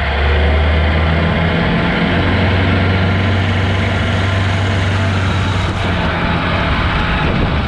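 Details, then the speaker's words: Barn-find Austin-Healey Sprite running from a fuel drip bottle: engine holds a steady raised idle instead of settling; high idle because the throttle pedal was not returning and had to be pulled back by foot. "it's like the idle was uh getting stuck because the throttle wasn't returning properly i had to use my foot to pull the pedal back"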